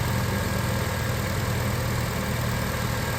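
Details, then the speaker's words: 2006 Acura TSX on a cold day, after replacing the two power steering hose O-rings (fluid still low, few bubbles): steady low idle while turning the wheel, no whine. The power steering now sounds quiet and normal. "Alright guys, so I just turned the wheel a few times. I don't know if you can hear it through the video, but I don't hear any more sound."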